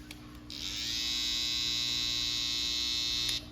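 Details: Babyliss FX trimmer after repair, before zero-gapping: clicks on, then a smooth, even high-pitched buzz holds steady about three seconds with no rattle or grinding; now super quiet and cutting hair, healthy.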